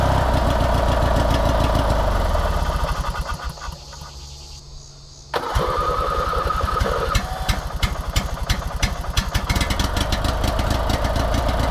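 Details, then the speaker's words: 19.5HP opposed-twin riding mower after bad solenoid diagnosed and carb cleaned, bottle-fed fuel: cranks briefly, catches cleanly, steady even idle, no misfire or knock, no longer smoking; normal start and idle. "Nice. And it's not even smoking anymore. Dude, she fired up easy, too. And it's running good."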